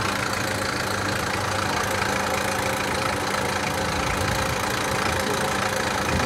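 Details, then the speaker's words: Lada Niva petrol engine at idle right after starting: rough, fairly quick knocking, about four beats a second; owner suspects the timing chain or its tensioner, not confirmed. "У меня в машине появился вот такой вот звук, когда завожу, я не знаю, или то ли цепь, то ли натяжение."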